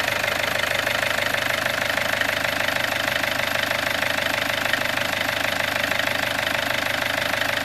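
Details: Peugeot 407 2.0 HDi diesel at 400,000 km idling after timing set replacement: steady, even clatter with constant rhythm and no stray knocks or rattles; normal healthy idle.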